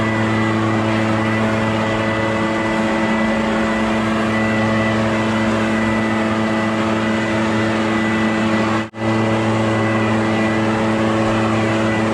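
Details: Echo PB650 backpack blower, barn find unused about 5+ years, running on fresh gas while clearing a roof and gutters: constant drone with fixed tone and even airflow roar, no surging or misfires; runs well under load.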